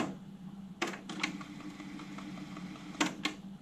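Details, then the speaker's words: 1980s AIWA AD-WX929 cassette deck with new belts, Data 1 bias calibration recording test tones, rewinding and playing back: soft steady motor hum with crisp mechanical clicks as the transport shifts modes; normal calibration cycle. "so it's telling you that it's doing the bias what it's doing now is recording small piece of the tape with its test tones then it will rewind it play it back make its adjustments which is the set"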